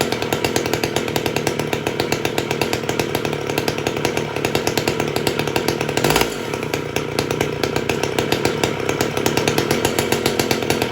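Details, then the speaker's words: Rebuilt Stihl 015L chainsaw after carb cleaning (it ran too high) and stop-switch wiring fix: steady, even two-stroke buzz with crisp regular firing and no misses or surging; running healthy. "runs good so we'll sharpen the blade or the chain and uh that'll be it but runs good sounds good"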